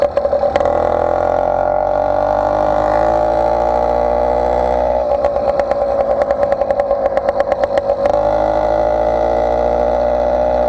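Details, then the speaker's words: Motorized bicycle two-stroke with stock intake and cheap carburetor, ridden: droning at steady high revs, slightly burbly and uneven under load; running a little rich at the top end. "Not too cold. And to be honest with you, this one's a little rich on the top end."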